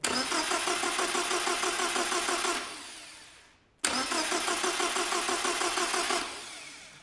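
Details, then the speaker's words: 1975 Land Rover Series 3 with a newly rebuilt engine, cranked on the starter to build oil pressure before priming the fuel system: two bursts of steady, even cranking at about three pulses a second, no knocks or grinding. Oil pressure built; normal cranking. "And that's us just built oil pressure. Perfect."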